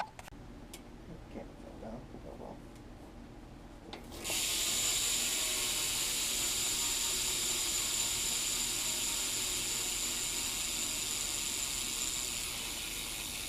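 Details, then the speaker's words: Primo Remix BMX cassette hub, two and a half years old, double sprung, run completely dry and broken in, wheel spun by hand; loud, even, rapid ratchet buzz with no skips or clunks; normal, healthy freewheel. "is is what a primo remix hub sounds like it's two and a half years old double sprung completely dried out this is pretty much as loud as the hub's gonna get it's nice broken in and everything"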